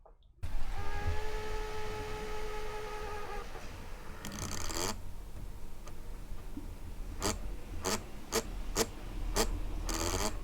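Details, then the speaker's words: Acer Swift SF314 laptop cooling fan spinning up after sleep, mic noise filtering off: audible buzz with clattering, unsteady whirr and sharp clicks; worn, failed fan bearing, not just high-speed airflow noise. "the first one from the acer was a knackered fan bearing and it was an audible buzz with actual clattering and other noises mixed into it the fans sounded physically sick"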